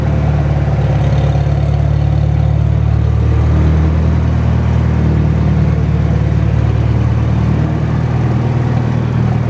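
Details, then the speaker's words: Farmall Super M tractor driving in gear after tappets were adjusted, exhaust muffler loose: steady low chugging beat under load, even firing with no misses or tapping; running healthy. "But it sounds like a good old Farmall. Drives like one too. Runs real nice."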